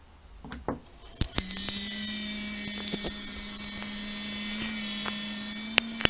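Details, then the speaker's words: Anet A8 3D printer cooling fan before cleaning. After a few handling clicks, a steady buzzing whine spins up and holds. It is a dusty, dry sleeve bearing (no ball bearing) rubbing metal on metal, to be cleaned with liquid grease. "Bugün baş belası şu fanların ses problemlerini çözeceğiz. Bakın şimdi çıkan sesi göstereyim size."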